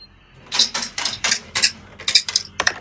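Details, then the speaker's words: Large washing machine on quick spin, drain pump: irregular sharp clattering bursts about one a second; a bolt stuck inside the pump rattling against the spinning impeller, likely from a pocket. "This bolt was stuck inside. Let me use slow motion. You can see that's culprit. That bolt was stuck inside the pump."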